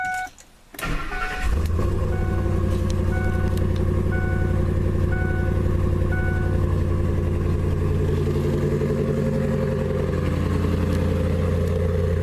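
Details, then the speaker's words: Saleen S331 Supertruck V8 with newly fitted long-tube headers cranks and settles into a deep, heavy, droning idle with a couple of revs; far louder than the stock Saleen exhaust, nothing mechanically wrong. "And you can hear thunder. The headers make this thing way noisier. It's way louder than even the stock Saleen setup."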